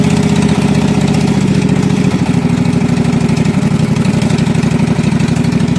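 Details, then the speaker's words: Husqvarna mud mower, 18hp Kawasaki V-twin, after being submerged in a pond about 5 minutes, with water in the oil, float bowl drained and fresh gas with Sea Foam: fired right up and runs a solid continuous rumble without stumbling or dying. "watering the oil a lot of water in the oil and it fired right up and ran"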